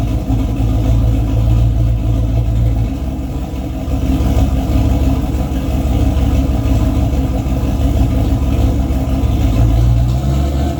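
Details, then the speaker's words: Boosted 351 Windsor V8 race car, newly working transmission with transbrake, fluid low (about nine quarts), held in gear; deep loud note wavers and falters briefly as throttle opens; stumble under throttle, not building boost, cause unclear. "seems to be working all right though you can hear where the engine stumbles a little bit the more throttle I give it obviously it's not going to build boost and I don't really want it to right now"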